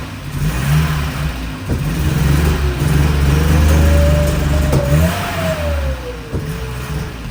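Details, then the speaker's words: Porsche 924 first start after over 10 years parked, with fresh fuel, oil and brake fluid: the low engine note rises unevenly with dips and hesitations as throttle is applied, stumbling and wanting to die; cause not yet checked. "it seems anytime I try to give it throttle though that it wants to die out or something so we have to check that out"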